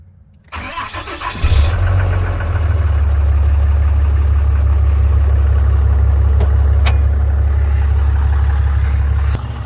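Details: 2007.5 Dodge Ram 2500 6.7L Cummins diesel after in-frame rebuild with cylinders honed, first start: quick crank, catches within a second, settles into smooth, even idle with no knocks or misses.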